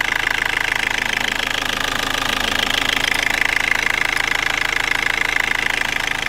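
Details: 2004 Toyota Corolla 2.0 D4-D diesel, warm idle, after OBD light reset: steady, even sharp ticking clatter about 200 per minute over a light hum, noises fade above about 1500 rpm; injectors seem quiet, cause unknown.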